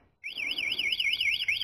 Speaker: tapi kalau kita sentuh dikit ingat kita tinggal digedein aja udah bunyi coy